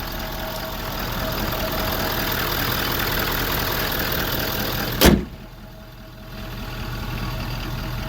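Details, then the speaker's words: 2013 Ford 6.7 Powerstroke diesel after exhaust manifold and turbo replacement (complaint was a squeal under heavy throttle, suspected manifold): warm engine settles to a steady, even idle, smooth low rumble, no ticking or exhaust puffing; normal idle. "you see that new turbo there yeah thing runs good really happy with it"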